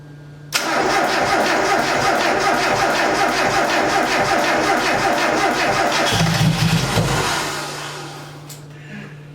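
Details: Mazda Miata first start after engine install and full rebuild, fuel primed: cranks briefly, catches cleanly, runs strong and even with a quick rev before settling, no knocks; normal start.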